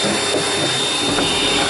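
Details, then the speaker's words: 5th-wheel travel trailer furnace running after loose vent covers were taped to stop vibration: a steady, even rush of air with no buzzing or rattle underneath. This is normal furnace blower airflow. "My furnace just kicked on, and that is quite a bit quieter. I mean, you still hear the air, but I don't hear the vibration."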